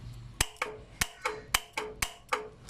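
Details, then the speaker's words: Lancer whose A/C stopped cooling and whose compressor would not engage: a fuse-box live wire is applied directly to the compressor's magnetic clutch, giving crisp paired clicks. The magnetic switch and compressor are fine, so the fault lies elsewhere. "we heard that our magnetic switch is working So the compressor is still fine, but why it is not triggering when I'm turning on the aircon?"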